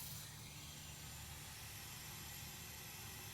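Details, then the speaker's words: Miata with Megasquirt ECU after installing Flow Force injectors, flex fuel sensor and new fuel hoses: electric fuel pump jumpered and run by remote switch, key on, faint steady whir and hiss for seconds; normal priming, checking for leaks. "probably hear that running and I don't see anything so you want to give that a good 5 seconds and then check for any drips"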